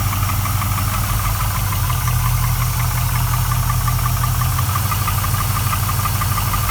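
Idling V8 with a rough, uneven tapping knock mixed into the low rumble, about three per second; a lower-end knock or piston slap, unconfirmed.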